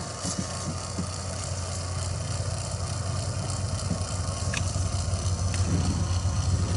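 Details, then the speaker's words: 2001 Dodge Ram 2500 Cummins turbo diesel, during a Fleetguard FS19855 fuel filter change: steady low hum under light rattles as the lift pump refills the drained filter bowl; pump running normally. "a lot of people find out that they have a dead pump when they go to uh to do this job they go ahead and drain the bowl and you need to do this at least four times I'm going to say if you're pump's good can still hear it"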